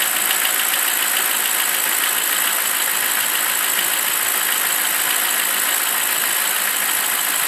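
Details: BMW 745i E65, cold start at 2°C outside: fast, sharp metallic ticking/knocking over the idle, keeping pace with engine speed, disappears after 1 min 20 s; owner suspects an old chain tensioner, unconfirmed.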